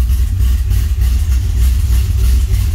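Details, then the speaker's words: 1981 DeLorean with carburetor, A/C compressor disconnected: deep steady low rumble at slow idle around 750 rpm, even pulses, no knocks or misses; 6 psi, alternator charging, oil pressure great; idles healthy. "Idle, it's around 750. I may bump it up a bit, but oil pressure's great."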